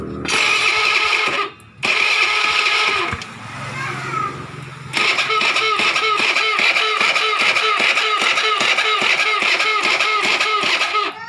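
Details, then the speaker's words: Carburetted automatic Honda Beat scooter, key on, pressing the starter: repeated sharp clicks at two or three a second with no cranking behind them; the starter only clicks and the engine does not turn over. "Hah tuh kendala pada motor ini statusnya cuman berbunyi cetakcetak"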